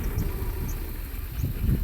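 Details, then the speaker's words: Mercedes W126 300SE, M103 3.0 L inline-six on a Voltarent ECU, idling with cylinders five and six deliberately disabled: low, lumpy rumble with uneven bursts, labouring and dying away; rough running and stalling on four cylinders. "really struggles, really stalls."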